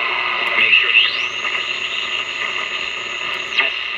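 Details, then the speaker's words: Montgomery Ward Airline AA5 tube radio, dirty, likely never overhauled, tubes untested: hissy noisy station with thin high whistle; poor reception, owner suspects a resonant capacitor. "I'm beginning to think that actually that resonant capacitor meant something it's not very good reception now grant that I haven't tested any of the tubes but something sounds funny it sounds like there's something definitely going Askew here"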